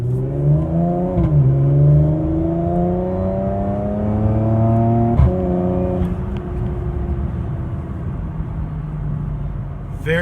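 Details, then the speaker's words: Tuned Porsche Macan GTS twin-turbo after swapping the stock diverter valves for Agency Power billet spring-and-piston valves; clean rising revs with a smooth climbing whine, boost goes right to 17 psi and holds, slight dump into the intake on lift-off, no flutter. "no flutter the boost response feels much better it goes right to 17 psi and holds"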